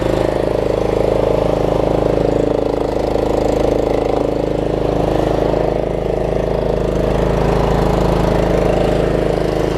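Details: Troy-Bilt Pony riding mower, unidentified small engine (possibly Loncin), after a loose starter-solenoid connection was fixed and a good battery fitted: smooth, even idle at about three pulses a second, no knocks or misses; healthy.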